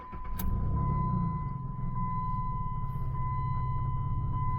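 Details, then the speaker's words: 2007 Jeep Liberty, 205,738 miles, after swapping cheap Chinese oxygen sensors for NTK ones: quick crank catches at once into a smooth steady low idle under a constant chime, no stumble; check engine light stays off. "man, this thing runs like a brand new car now. This is the best it's ever run since I've had in the last year."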